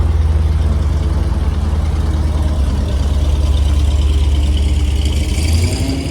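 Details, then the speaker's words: 1973 GMC cabover with 366 big block, four-speed and two-speed rear end, running with Seafoam added; deep idle with slightly uneven loping beat and occasional stumbles, sounds like it may die; rough idle expected to clear out. "well what do you think I it's going to run a little rough with that seafoam in there I think it'll clear out"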